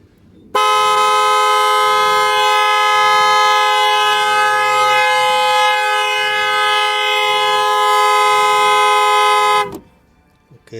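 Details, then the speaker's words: 2008 Dodge Nitro after water pump replacement and battery disconnect, won't start, no accessories: horn blares one steady tone about nine seconds as alarm trips; fix is disconnecting negative cable with ignition on until front light shows alarm deactivated. "sino el carro no va a prender ya sea que los accesorios todo se vuelve loco como los parabrisas las cornetas se activan por la alarma"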